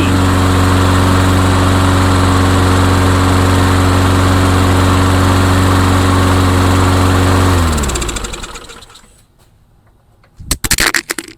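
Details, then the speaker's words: Craftsman lawnmower with Tecumseh or Briggs & Stratton engine after repair, air intake gasket still suspect: catches easily and settles into even steady idle with smooth low throb before shutdown; runs healthy. "Yeah, this thing fires up really easy now. really very easy."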